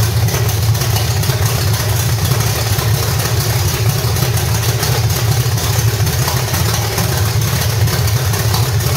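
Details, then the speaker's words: 1985 stepside with cammed V8 (reportedly 400 hp Corvette motor), headers and roller rockers, gummed-up carburetor, just fired up: loud steady idle with rhythmic cam lope and deep open-exhaust rumble; healthy. "definitely sounds good you can definitely hear a little bump in the cam and uh sounds pretty healthy"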